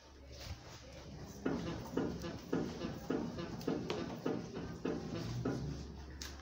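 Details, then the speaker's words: Renault Logan, passenger-side suspension rocked after fitting new Cofap shock absorbers: rhythmic creaking knock, about one every 0.6 seconds; owner suspects the spring or strut mount. "sei se deu para escutar é um toque toque toque um rangido ontem toc toc eu vou tentar descobrir eu acho que alguma coisa referente a mola ao coxim do amortecedor"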